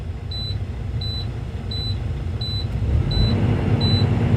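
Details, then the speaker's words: Diesel semi truck idling, air tanks refilling after leak, secondary filling before primary: sharp high beeps about every 0.7 s over idle rumble; low air pressure alarm, transmission may not engage. "you're going to have um the alarm go off you're going to have the system air pressure low transmission might not uh start meaning I can't move even if I wanted to"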